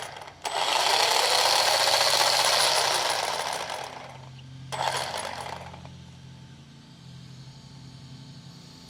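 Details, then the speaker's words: Traxxas Rustler 4x4 RC truck after a new spur gear and slipper clutch assembly, transmission cover off: loud whirring bursts with each throttle blip and a thin scraping note; grub screw suspected rubbing the spur gear, not confirmed. "It might be where that grub screw is rubbing against the spur gear, but it shouldn't be doing that."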